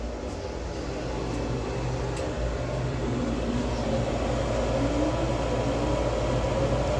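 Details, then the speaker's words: Gas furnace after a blower motor replacement: once the igniter glows and the unit preheats, the new blower spins up with a smooth, rising hum and runs normally. "and that's my blow motor and now we just wait for everything to heat up"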